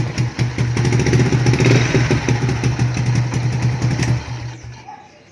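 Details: Motorstar motorcycle single-cylinder, previously no-start with no spark from a bad CDI, after fixing the CDI and rewiring grounded wires: quick steady thump about four pulses a second, then tapering off; engine runs normally.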